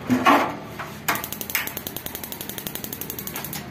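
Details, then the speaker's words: Gas instant geyser water heater burner: steady sharp dry clicks about eight per second from the igniter sparking to light the gas, the normal ticking sound of the igniter/coil working. "अब तो गाड़ी का भैया आप आवाज सुन होगा कि इसमें एक टिक्की आवाज आएगी एक तो लैटर की आवाज है ऐ कोयल की आवाज होती है"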